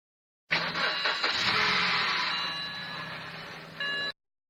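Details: Used 2005 BMW 320i E90 N46, 120k km: harsh rattling grind for the first second of cold start, then steady idle; happens every start since timing chain tensioner replacement; chain, starter, flywheel or torque converter suspected.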